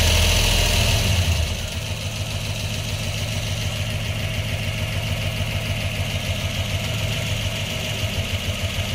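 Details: 1997 Pontiac Trans Am WS6 LT1, P0301 code (cylinder 1 misfire). Stock fuel system, 1.65 roller rockers, long-tube headers; injectors and plugs checked good, fuel pressure slightly low, Opti being tested. Idle shows a regular stumble about three per second.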